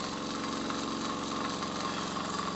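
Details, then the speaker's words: Miniature 5 cc twin-cylinder steam engine, a Stuart D10 replica without Stephenson valve gear, at full valve opening and about 1 bar; quick, even chuffing at a steady beat with no knocks or misses: runs perfectly. "Donc la machine marche, fonctionne parfaitement à un bar."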